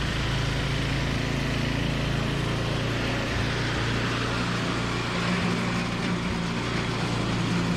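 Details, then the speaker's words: Toro 521 snowblower fired up after replacing a blown drive belt, new belt tight. Small single-cylinder engine at a steady, even pace with a constant drone, no squeal or slap; running fine. "Okay, so it works awesome."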